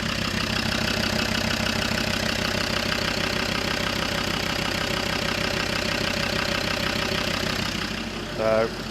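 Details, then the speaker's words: Land Rover Defender Td5 110 with GTB450 turbo, idling on its original injectors as baseline before fitting reconditioned injectors; steady even diesel idle with light regular clatter, no over-fuel knocking; normal idle. "I mean, to me, everything sounds good with that."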